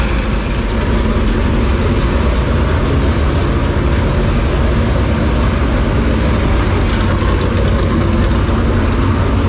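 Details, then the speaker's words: Super Late Model dirt racing V8 after an engine swap, first start: deep, steady idle with an even rumble, no misses, knocks or ticks; good oil pressure, no leaks, at temperature. "80 PB oh sounds good good thing you already de you say something all right hey sounds good good old pressure no leaks"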